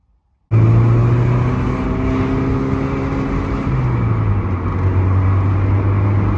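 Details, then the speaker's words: Alfa GTV in very hot weather, caught with laptop logging before repair: engine under load runs rough and uneven, misfiring badly, then dies; lean misfire from fuel starvation at the pump. "got it got it it's misfiring really bad it's really busy it's really hot"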